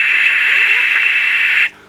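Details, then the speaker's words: Marshall JCM2000 TSL amplifier that was blowing HT fuses: loud steady upper-midrange hiss from a faulty V2 preamp valve, vanishing when V2 was pulled and gone after fitting a replacement valve. "I just thought I'd track down this noisy valve and I pulled out V1 there's a lot of hiss which you wouldn't be able to hear"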